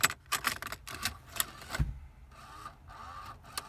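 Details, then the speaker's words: 1999 Ford Escort ZX2 cassette deck with key on: dry mechanical click repeating about every second, uneven and never stopping; the deck previously switched tape sides repeatedly and ejected tapes, now makes this noise and ejects the tape. "now it does something completely different and just makes that noise and then adjust the tape so yeah it's actually quite quite an annoying problem"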